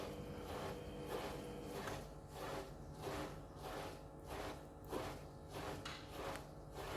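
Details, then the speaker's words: Panasonic 7 kg front-loader washing machine after repairing the H07 spin error, on an 800 rpm spin cycle: a regular swishing surge about every 0.6 s as the drum builds speed smoothly, with no knocking or grinding; normal spin ramp-up. "thank you now is normally increasing RPM now it is okay perfect machine running"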